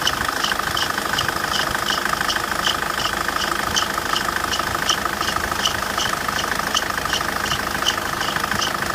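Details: Engine idling with a sharp, high chirp repeating about three times a second over a steady hum; belt squeal, likely a slipping accessory belt.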